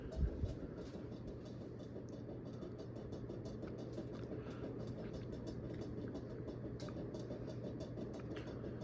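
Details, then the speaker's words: Carroway 52-inch spinner ceiling fan, model EF100, bought used, on high: a steady low hum under a constant fine rattle and scuffing as the loose canopy rubs on the motor housing; probably fixable. "ah I spoke too soon yeah that's the sound of the canopy rubbing on the box yeah that's not scary sounding at all"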